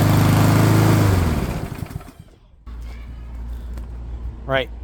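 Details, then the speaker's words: Yard Machines by MTD mower, PowerMore 139cc OHV engine, after new spark plug and air filter, choke on: runs steady and even briefly, then winds down and stops; no knocks or misses. "Choke is on. Pull the veil and Yes, sounds like she's working perfect."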